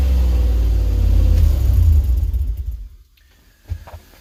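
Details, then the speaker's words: Ford E250 van project being converted to a flatbed service truck: deep booming rumble swelling with revs, then shut off; exhaust far too loud, sounding like a mud truck. "and as far as the exhaust goes well you know i mean it sounds like a mud truck right now"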